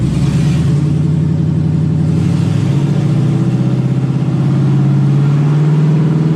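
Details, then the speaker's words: LS-powered Camaro after fixing a no-shift automatic transmission traced to the rear speed sensor; steady engine drone with two clean pitch drops as the gearbox upshifts on its own into second and third, healthy. "actually just went in shifted on its own and drive into second and in the third"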